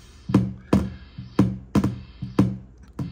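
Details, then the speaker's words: National HRO-500 receiver with the sweep transistor pulled and the VFO near 9 MHz, monitored on an RTL-SDR in narrowband FM. Light plastic-straw taps on the HF oscillator tuning capacitor each give a sharp knock and low hum burst. Extremely microphonic and won't hold sync lock; owner suspects it needs tightening. "so this capacitor is extremely microphonic I'm not sure why but maybe it needs tightened or something I don't know but this is the whole demise in the radio"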